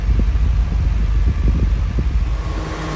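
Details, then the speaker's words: 1991 Honda Prelude, 44,000 miles, after an AC compressor seal replacement, still being charged with about 8 ounces left to add; compressor running on recirculate with 60 degrees already inside: steady low fan and compressor hum, even pulsing, no rattle or squeal; normal AC operation. "Compressor kicked on already. Got it on recirculate."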